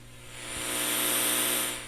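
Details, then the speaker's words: Pioneer SX-1280 receiver before restoration, volume fully down: steady hiss with no signal, right channel much noisier than left; noisy connections and switches suspected, controls not yet cleaned, DC offset not bad. "so yeah we have some noisy connections noisy switches uh yeah the right channel is a lot noisier than the left"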